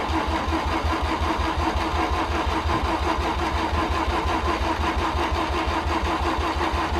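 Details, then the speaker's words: Car driven in the night before and hard to start then, cranked after fresh gas added: even rapid cranking at about three beats a second, almost starts but never fires; cranks but won't start. "oh oh how much it almost started man i really am cursed"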